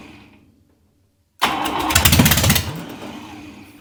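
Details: Buick 401 Nailhead in backyard rail dragster build, first fire: brief rough burst of rapid firing about a second, then fades and stalls; owner suspects fuel delivery issue, stuck carburetor needle and float, needs rebuild.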